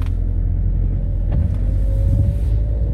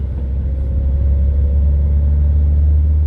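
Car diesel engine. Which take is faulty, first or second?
second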